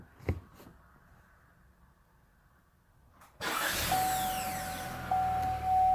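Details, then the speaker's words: 2016-2018 GM 1.5L (Malibu/Cruze/Equinox) with new Duralast replacement starter: loud rush at start-up with thin steady high whine and zinging sweeps, like water spraying; starter suspected of whining while cranking, not confirmed. "i don't know if you guys can hear that or not i'm gonna have to look at the uh listen to the video to hear it but it almost sounds like water spraying everywhere but you know it's not"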